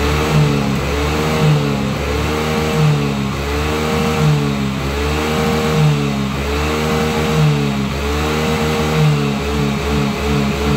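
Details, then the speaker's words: Yamaha Mio J scooter just reassembled after engine repair, blipped repeatedly on the stand: revs rise and fall cleanly, steady even firing, no knocks; normal revving. "Nah, teman-teman, dengarkan perbedaan tenaganya, dan putaran roda juga menunjukkan bahwa motor ini berjalan sangat mulus."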